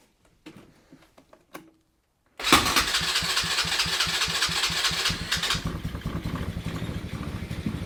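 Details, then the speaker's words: Abandoned go-kart engine on fresh fuel, after adjusting the idle speed and mixture screws: a few quiet knocks, then it fires at once and settles into a steady, even putter. Normal idle. "Nope. Runs good."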